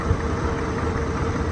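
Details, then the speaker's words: Wrecked 1992 Chevy S10, TBI 4.3 V6 with 700R4, likely not run in years, half the exhaust removed: an even, low, smooth and quiet idle rumble with a faint steady hum and no misses, ticks or knocks; 40 psi oil pressure, charging reading high. "It probably hasn't ran in years. Not this long. It's so smooth. Yeah. Super smooth. It's quiet."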